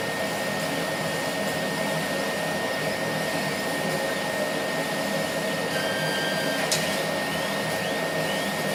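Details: Laser cutter tube whistle: a thin steady high whistle at one pitch over the cutting hiss. It appeared after about six months of operation and comes from the beam at the nozzle exit. Current rose 12→13 mA, with no uncut spots.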